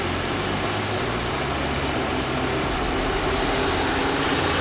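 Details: 2022 Audi Q3 with P2279 intake air system leak code, engine shaking: uneven, lumpy, wavering idle; intake/vacuum leak suspected, hissing heard when the cap is put back on.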